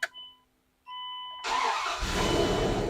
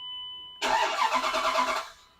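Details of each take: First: Dodge Dakota shop truck after replacing the fuel pump assembly for a failing fuel pressure regulator and refuelling: chime tones, quick crank, engine catches immediately and settles to steady idle; normal start. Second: Dodge Dakota shop truck, which normally starts instantly: about a second of even, rapid cranking that never catches; fuel pressure not holding in the rail or line is suspected, likely a failing fuel pressure regulator.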